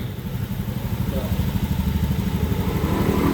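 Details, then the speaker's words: Honda Beat FI scooter, being fixed for high fuel consumption: idle air screw adjusted to 1500 rpm, throttle-opening reading back to normal. Even, steady putter at low idle with no hunting or misses; normal idle. "Oke, aman. Oke, untuk langsang normal ya, bukaan gas normal."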